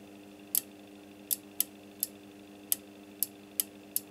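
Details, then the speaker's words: Vintage Stabo XF-4012 CB radio with no AM mode, new relay fitted and powered externally from a bench supply: eight crisp sharp clicks in about four seconds over a faint hum; relay switching properly. "I can clearly hear the clicking"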